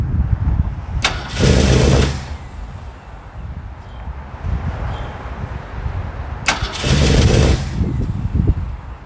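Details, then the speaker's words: 1969 Mercury Monterey, sat 16 years, after splicing a rodent-chewed cable and replacing the starter solenoid: it cranks and catches twice, revs briefly, then dies each time the key returns from start to on; damaged ignition wiring. "you get it to the start position and it runs it it kicks over you hear it starting but then um you kick it back to the on position to keep the the engine running and it just doesn't do anything so it it kills it"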